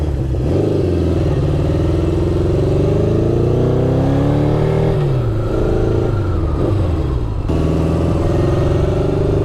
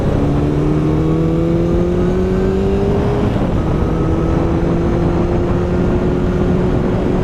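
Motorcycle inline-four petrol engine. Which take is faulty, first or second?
first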